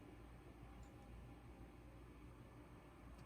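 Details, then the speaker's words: 2007 Toyota Highlander 3.3 L, key on, fuel pump commanded on by scan tool: only low room hum and faint ticks of the fuel pump relay clicking, no pump whir; relay receiving control power, pump inoperative. "don't hear anything turn it off it's on now it there's nothing I don't hear any noise it's not on per se it's just commanded to be on"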